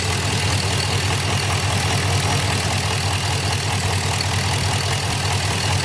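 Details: 2006 Chevy Impala SS LS4 with codes P0118, P0300, P0307; steady idle with constant airy hiss over engine pulse, traced by ear to a leaking vacuum line.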